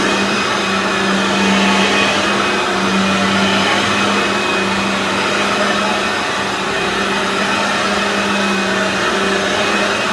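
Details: Aeros U162C upright vacuum cleaner on its first test after unboxing. Steady, even motor drone with a constant low hum and airy rush, no surging or rattle: the vacuum motor runs normally.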